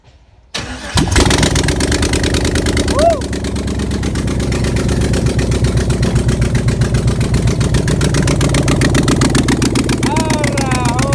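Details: 1988 Pontiac Trans Am with 5.3 LM7 LS swap, wiring finished and gauges working: brief crank, catches at once and settles into a steady, even low-pitched idle that stays running; healthy.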